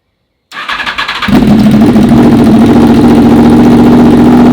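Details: Honda VFR/CBR hybrid V4 with custom LexTek exhaust in short single-muffler configuration; catches after a few cranks, settles into a strong, even, deep-toned run with crisp pulses, some flame from exhaust; healthy.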